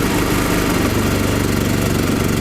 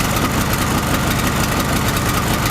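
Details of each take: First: Chinese small generator converted to propane, mixture enriched by screw, loaded with a 2 kW heater: engine labours with uneven heavy firing, pulling 2 kW but choking on an over-rich mixture. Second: Chinese gasoline generator converted to propane, with the gasoline tap closed and residual carburetor fuel burned off. A steady, even engine drone with no misses or hunting; the owner warns against running it on a lean mixture. Normal idle on propane.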